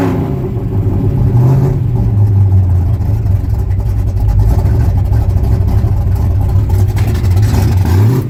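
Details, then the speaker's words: 1966 Ford pickup V8 after replacing the bank 1 header gaskets and retightening the loosening exhaust collector bolts: deep, even rumble rising cleanly with revs, with no ticking or puffing; the exhaust leaks are fixed. "No more exhaust leaks. Awesome."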